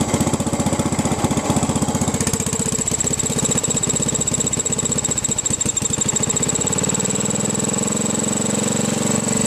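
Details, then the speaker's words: 1967–68 Sears Suburban on a makeshift vaporizer carb, mixture set by ball valve at one throttle setting, no gas tank: uneven lumpy single-cylinder chugging, sagging under load going uphill; fuel mixture not totally right. "we're moving pretty quickly too the mixture's not totally right so we lose power going uphill"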